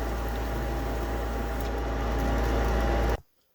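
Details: Gas furnace with no flame after a burnt-plastic smell: fan hums and whines about three seconds then cuts off with no igniter glow or light-off; owner suspects a failed control board.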